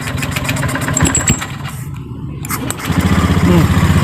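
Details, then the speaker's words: Honda Beat scooter no-start: weak battery and faulty brake switch behind the starter fault, broken CKP wire found; pressing starter button gives brief whir, engine catches at once and settles to steady idle, normal electric start. "Ya, motor langsung hidup. Tuh. Saya matikan dulu. Saya ulangi. Sekarang akan saya tekan tombolnya. Tuh, motor hidup."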